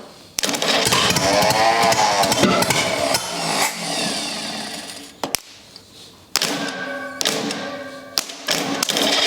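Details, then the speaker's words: Rebuilt U23 engine ("Old Rusty") first start attempt after 25 years: ragged bursts of firing catch for a second or two, then fade and stop; it coughs but never settles into a run before the throttle is opened up. "well we almost got it right so um let's try a little bit more and see what happens"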